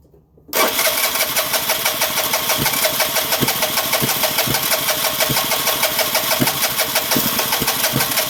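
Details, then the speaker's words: 2009 Vespa LX150 no-start: starter churns steadily with a few irregular thumps but engine never catches and runs; sometimes coughs with a little gas; owner suspects dirty spark plug again, unconfirmed. "Seems like if I give it a little gas, it'll cough sometimes. Hand in at the same time. It's gotta be a dirty spark plug again."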